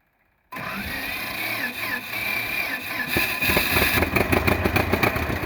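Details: 1948 John Deere B two-cylinder tractor converted to propane (LPG) with a 12 V GM distributor, in neutral with a little throttle, starting cold: catches and settles into an uneven but steady putt that firms up, no knocking; healthy idle.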